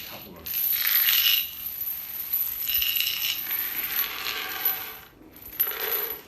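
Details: Chain dragged across hospital janitorial storage floor tiles before overcoating: rattling scrape in sweeps, some areas solid, others ringing hollow and papery despite looking sealed; drummy, debonded tiles.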